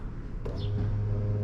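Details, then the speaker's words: 2004 BMW Z4 E85 convertible top: the lift motor behind the driver's seat hums steadily with no change in pitch but cannot raise the top. A hydraulic hinge leak has caused fluid loss, while the motor was dry. "humming away it used to actually lift but it's uh hydraulically weak it's lost some fluid"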